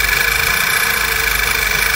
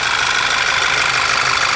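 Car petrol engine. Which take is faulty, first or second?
first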